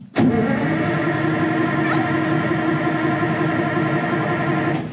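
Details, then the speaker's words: 1960s Insley H2250 100,000 lb excavator diesel, cold, no ether or starting spray on hand: about five seconds of steady starter whirring that never catches; cranks but won't start, though it lit right off last summer. "Not even a lick, huh? Oh, come on. Last time I was here in the summer, she lit right off."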